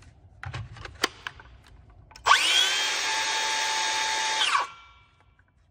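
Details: Makita DHS680 circular saw, reassembled after repair: a two-second run with a clean, steady high motor whine that spins up smoothly and coasts down evenly. Normal, healthy running.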